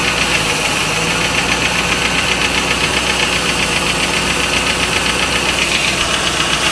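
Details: 1995 Lincoln Mark VIII LSC, Ford 4.6 DOHC V8 idling with fast regular tapping about four per second; owner unsure whether lash adjuster tap or piston slap/rod knock; engine tapping/knocking, cause undetermined.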